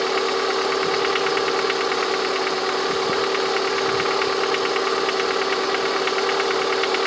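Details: Lada 21126 engine at steady idle with a light, fairly regular tapping knock riding over it, heard most clearly near the end of the recording; the owner asks what the sound is, source unclear.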